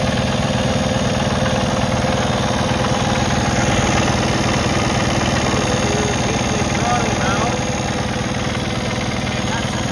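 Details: 2020 Kenworth T880 Cummins X15 after an overlay octopus harness restored 5 V supply to sensors and codes were cleared: steady, even diesel clatter at idle with no stumble or hunting; idling smoothly.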